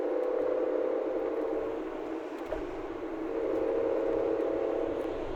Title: ruido al girar y acelerar.